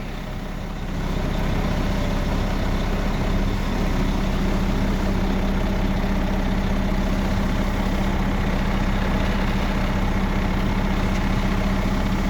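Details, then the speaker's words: 2005 Sterling crane truck diesel, 234,000 miles, start-up after letting it cycle: catches quickly and settles into a steady, even low idle with no knocks or misses; normal healthy idle. "The engine sounds good. Gotta let it cycle. And here we go. Starts right up."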